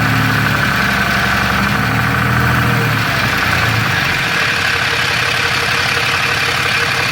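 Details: Third-gen Ram 6.7L Cummins with Jasper transmission, fairly new torque converter, converter bolts checked tight: diesel idle with uneven metallic rattle from the bell housing, heaviest early; cracked flex plate or torque converter suspected, unconfirmed.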